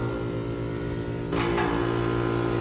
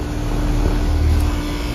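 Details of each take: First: HVAC outdoor condenser unit with steady electrical hum and constant whirring drone; bad condenser fan motor suspected, not confirmed. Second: Brand-new Payne heat pump, installed last year, kicks on in defrost season with an even low drone and a steady compressor tone that settles in smoothly, with no rattles or knocks.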